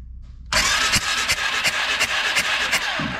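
Starter spins the engine in a quick, uneven chug of roughly three strokes a second, with no firing or catch; cranks but won't start.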